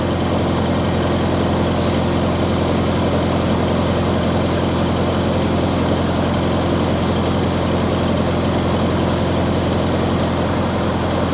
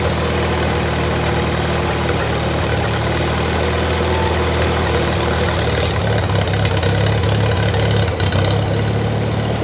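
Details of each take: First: 1953 Farmall Cub started after sitting two years unstarted, warmed up at a little over 1800 rpm, temperature 160 and not running hot: steady, even low drone at fast idle with no knocks or misses; normal running. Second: 1953 Farmall Cub, no muffler, just started after sitting two years: low throbbing idle wavering and stumbling near end as if briefly fuel-starved; owner thinks it just needs to warm up and run a while.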